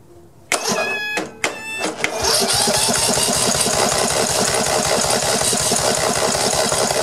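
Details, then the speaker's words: Old Snapper 1438S rear-engine riding mower after clearing oil flooding, still low on oil: starter clicks then steady chugging about four beats a second that never catches; cranks but won't start, fuel pump delivery next to check. "well at least it's cranking over now"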